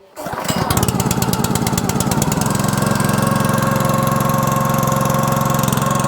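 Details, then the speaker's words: Honda GX200 small air-cooled engine test-started after an oil change to Amsoil 100% synthetic SAE 10W-30 small-engine oil, choke on, throttle about halfway: quick pull start into a steady, even putter, no misses or knocks; runs normally. "Listen to that little Honda engine just purr."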